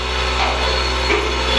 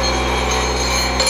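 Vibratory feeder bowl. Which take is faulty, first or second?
first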